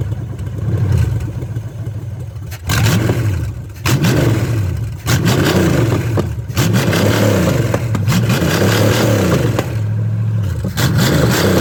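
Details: Chevy small-block 305 V8 with distributor from an Impala fitted, run briefly without coolant: fires and picks up cleanly on each throttle blip, revs rise and fall smoothly, no misses or knocks; running fine.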